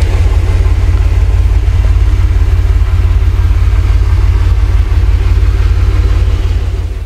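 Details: 1994 Chevrolet S10 Blazer 4.3L V6 with a new 2.5 Cherry Bomb Salute muffler and turn-down tailpipe: steady low exhaust rumble with even pulses at idle, no rasp or leak hiss; exhaust sounds sound and tight.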